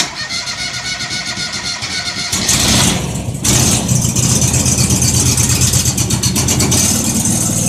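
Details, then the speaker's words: John Deere 425 after fitting a new battery with cleaned, greased terminals; fuel pump heard first. Brisk two-second crank, then catches and settles into a steady, even idle; normal start. "okay well she's running so uh I think we'll let that run there a little bit"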